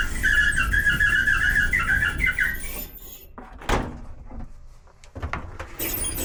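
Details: Kenmore/Whirlpool dryer running with a horrible screeching noise: a high, warbling squeal pulsing steadily over the drum rumble, isolated to the idler pulley, which was replaced and the drum rollers cleaned and lubed; worn idler pulley squeal.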